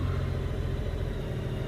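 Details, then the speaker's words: 2002 Honda GL1800 Goldwing idling for a couple of minutes after a fresh oil and filter change to circulate oil; low smooth even rumble, no knocks or ticks: normal idle. "We're going to let it run for a couple of minutes to make sure everything gets circulated really good in there."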